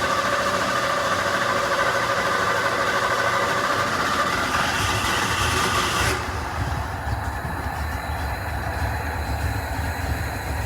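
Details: 1988 Ford F150 5.0L V8: long steady cranking about 10 seconds before it starts and runs very rough; engine coolant temp sensor suspected of dumping excess fuel, cranks much easier with it unplugged.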